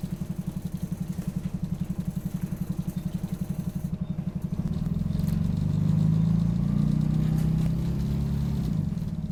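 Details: Optare Solo bus OS20 YJ12GVR on route 309, Poplar to Canning Town, with squeaky noise: rough pulsing diesel clatter about four beats a second, then revs climb and roar without steady pull; engine thrash with gearbox apparently slipping.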